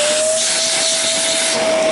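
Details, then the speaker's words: Kenmore Progressive canister vacuum (Panasonic-made), about six to seven years old: clear steady high motor whine over rushing air, sagging as it coasts down; worn motor damaged by debris. "how they come in almost every time I see them is like this now you can hear that motor whine"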